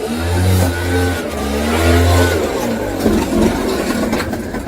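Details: Two-stroke motorcycle engine after a rebuild following a crank bearing failure. It fires up and climbs cleanly through a few blips with a steady, crisp buzz and no rumble or grinding, so the rebuilt bottom end sounds healthy.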